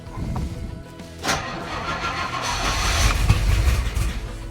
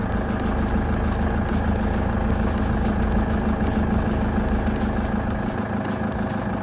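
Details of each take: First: Let's see if we've got the float chambers full now. Sounds like we haven't quite got the fuel prime yet. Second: LTI TX2 taxi, 2.4 L Transit diesel i4, cold start after about three weeks sitting, glow plugs cycled. Steady diesel clatter at about two hundred beats a minute, even and unbroken; healthy idle.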